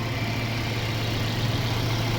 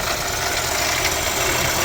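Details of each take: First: Mercedes-Benz CLA W117 after water pump replacement for coolant leak, loud water pump noise and Top Up Coolant warning: steady, even low hum at idle, previous whine gone, no ticking or knocking; normal idle. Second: Mercedes-Benz CLA W117 with coolant leak and Top Up Coolant warning: loud rough hissing whir from front of idling engine; failing water pump bearing suspected.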